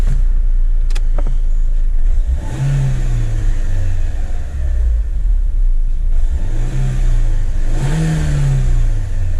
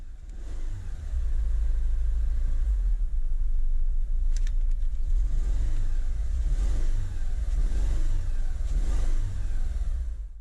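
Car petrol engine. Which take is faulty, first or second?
second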